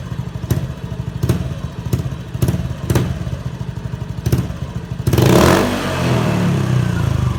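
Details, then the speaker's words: Honda Beat FI scooter that stumbled at low and high revs, after fuel pump replacement giving 43 psi; quick clean blips, then a strong smooth rev that climbs and settles; responsive and healthy. "Oke, motor sudah responsif kembali."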